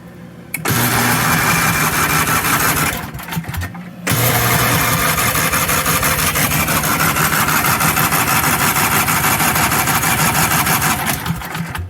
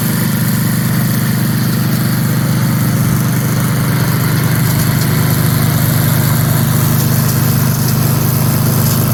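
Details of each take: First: 1982 Snapper Comet riding mower, 8 HP Tecumseh electric start, estate-sale find: long stretches of even starter cranking about three beats a second, pausing and resuming, never firing; spark keeps cutting out, owner suspects poor alligator clip contact or park switch. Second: 1982 Snapper Comet riding mower, 8 HP Tecumseh electric start, after restoration with everything reported operational: steady, even single-cylinder chug at constant speed with no misses or knocks; running properly.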